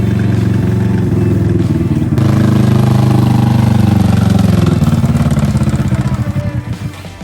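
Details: Cheap used rock bouncer off-roader showing heavy blow-by smoke: rough, uneven low thrum with a ragged rhythmic knock as the engine runs down. Metal chunks were found in the oil, confirming failed bottom end bearings and a finished motor.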